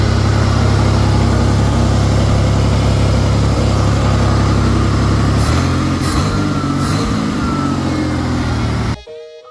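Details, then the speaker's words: 1989 Ford Bronco II, 2.9 V6, 5-speed manual, after replacing the exhaust manifold and gasket and drilling out a broken bolt: deep, steady idle with an even beat of about 3.5 per second and no exhaust tick; sounds healthy. "so I got super lucky I got that new manifold in and not only does it look good but it sounds good too"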